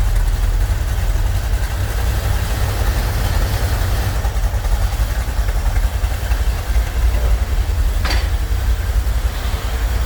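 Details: Corvette C3 V8 with Holley carburettor at idle after idle mixture adjustment and ignition timing, earlier having odd noises and misfires: deep steady rumble, even beat, no stumbling or dropped cylinders; engine sounds healthy.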